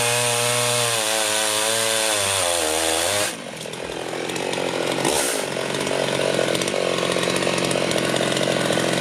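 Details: Rebuilt Husqvarna 51 chainsaw (it had seemed a bit rich), screaming at full throttle then pulling down steadily into a tree cut with no stumbling or four-stroking. Runs well; owner unsure the bar oiler is delivering enough oil.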